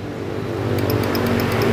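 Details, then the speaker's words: Yamaha Jupiter Z motorcycle, ignition on, starter button pressed: rapid sharp clicking, about six or seven a second, with no cranking; starter clicks but won't turn the engine, mechanic next checks whether the starter bendix or starter motor is at fault. "Nah sekarang kita akan tekan dari tombol starter di sini banditnya bunyi cetik cetik"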